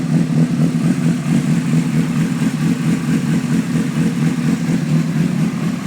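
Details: 2003 CBR600RR inline-four motorcycle that also has electrical issues; uneven, lumpy idle with the beat wandering around two a second instead of settling smooth, cause not yet found. Rough idle.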